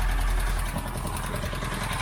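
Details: Boat inboard engine with new exhaust bellows and new water pump, after gasket maker on leak: smooth even low idle with steady beat, no knocks or misses; running normally.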